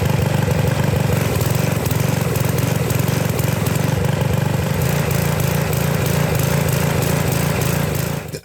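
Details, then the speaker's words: Sears Craftsman 2500 psi pressure washer, 6.5 hp Briggs OHV, running on a wrong carburetor off a slightly newer engine, untuned, needing some choke after being stressed: low uneven throbbing that never settles; running poorly, correct carburetor to be fitted. "the engine's really running poorly like I stressed the engine out and put it through its Paces I had to put a little choke on"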